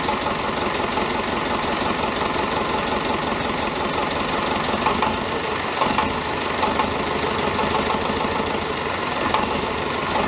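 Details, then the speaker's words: David Brown 1490 diesel tractor idling on its first run after an engine rebuild: a faint, irregular knock under the clatter. Owner suspects a fuel injection knock, unconfirmed; injectors are being reconditioned. "You'll hear that it has got a bit of a knock. I think it's a fuel injection knock."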